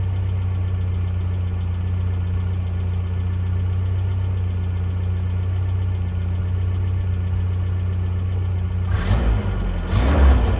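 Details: 1982 Toyota SR5 4x4 pickup after fixing stalling/cut-off problem (owner thinks emissions control computer box was the cause): low, steady idle without stumbling or dying, short throttle blip near end; something rattling in ashtray.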